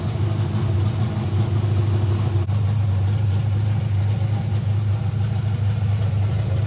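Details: Kyle Petty race car V8 first firing in the shop with new chassis headers, after a wiring fault that left the distributor without spark was traced: a deep, steady burble with no miss or clatter. Some voltage drop remains when cranking.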